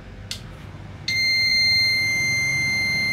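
A steady high electronic buzz sounds right after a short click and holds unbroken: the inverter's overload alarm, tripping as the pump motor fails to start.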